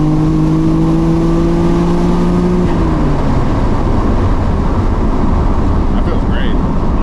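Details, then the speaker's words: Freshly rebuilt Nissan R32 Skyline GTR, after blowing its motor, on a third-gear pull during remote tuning: strong, smooth exhaust drone climbing steadily, no misfire, stumble or knock; driver says it's real smooth; healthy engine under load. "Yeah, it feels good. It's real fucking smooth."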